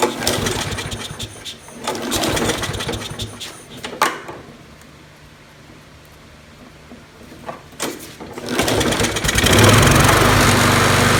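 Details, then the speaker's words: Neglected Troybilt Tough Cut 210 self-propelled mower, Briggs & Stratton 6.75 single-cylinder, after carburetor work: uneven, popping fast beat between quieter gaps, shaking. Rough running; vibration probably from the blade. "yeah here you go the vibrating probably is the blade um and it this thing smells like it hasn't run in ages"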